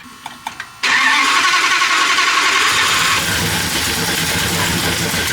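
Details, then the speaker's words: V8-swapped Ram 50 first start after a new camshaft install on the factory springs, cooling system not yet refitted: it catches after a few cranking blips and settles into a loud, choppy, loping idle. Sounds healthy. ">> Yeah, it's it sounds pretty healthy. >> Definitely chomping a little"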